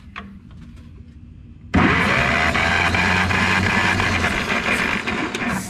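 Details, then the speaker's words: Ferguson TO20 tractor cranking on the starter during a compression test before a points-to-electronic ignition conversion: a steady, even beat of about three per second. All cylinders read 115–120, so the valves are sealing. Compression is good. "sitting on that 120 mark again and cylinder number four so all of them are right at that 115 to 120 one-ish mark on the compression so that makes me feel really good"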